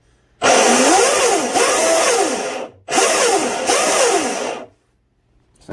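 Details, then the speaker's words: RC boat electric motor spun up after installing a new stuffing tube, flex shaft and stinger: a whine sweeps up and down under a rough, gritty roar, and the owner thinks the motor bearing is starting to go. "just kind of listen past this hear that bearing pretty sure it's starting to go"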